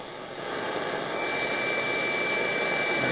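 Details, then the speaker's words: Zenith Trans-Oceanic R7000-2 radio on longwave band, no stations found: even, steady hiss rising slightly with no crackling dropouts; longwave appears to be working normally. "good I guess you can hear static I I really have never found anything on Long wave so I'm not sure but it but you hear that it it seems to be working"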